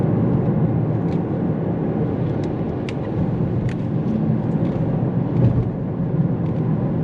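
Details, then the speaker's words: Kia Niro EV road test after warming the oil, owner's complaint of intermittent reduction gearbox knocking after hard acceleration: only steady road and tyre rumble, no knocks, clunks or whine; no fault reproduced. "donc en général nous n'avons conduit aucun défaut, nous ne pouvons pas l'entendre"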